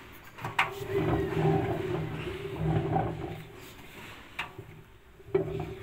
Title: Home diagnosis: Another machine down,bearings problem/this is why your machine makes noise spinning